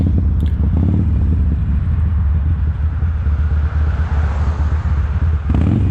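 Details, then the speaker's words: 2007 Sportster 1200 V-twin ridden on one cylinder: deep rumble goes ragged as the front cylinder cuts in and out, then picks back up; intermittent dropout, owner suspects an electronic fault, not mechanical. "and as you can hear there it's kind of coming in and out it'll work for a little bit and then it doesn't just goes dead that kind of leads me to believe that it's something electronic"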